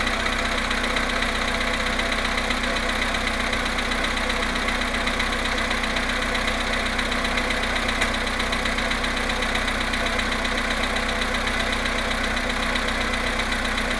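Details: VW Polo Sedan engine cold start after sitting 19 hours at +1.5 °C, 17,937 km: cold idle with a steady light knock about twice a second over the engine; cause unconfirmed.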